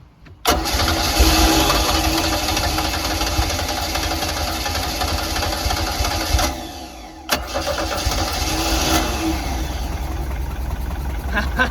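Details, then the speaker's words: 1982 Sea Ray boat engine starting on its own tank fuel after the fuel line was reconnected: cranks briefly, catches and settles into a steady rumbling idle, falters once and recovers. Water pumps out the side and the start is healthy. "Success, baby, success! We now have a running engine."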